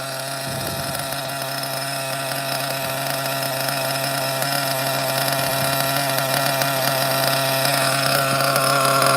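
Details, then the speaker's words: OFNA Ultra MBX nitro buggy with 2-speed and Hyper 21 Turbo engine, idle being checked just after first start; fast buzzy idle holding steady with a soft burble, very rich mixture but spinning freely. "Very rich. Very rich. I'm just checking the idle, okay? Very, very rich."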